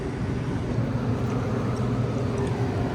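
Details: Newly replaced indoor blower motor, supply about 211-213 V, run with jumper on G: steady, even low hum and airflow with no rattles, ticks or scraping; normal blower operation.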